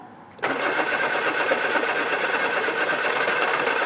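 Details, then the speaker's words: Mk1 Austin Mini barn find, first start attempts with floor starter button and a little throttle: starter churns steadily for several seconds, brief splutter but no catch; cranks but won't start yet. "yeah well that tried yeah that's a good start did that splutter when you had any throttle at all a little bit of throttle yeah just just a bit good good all right good well that's that's progress"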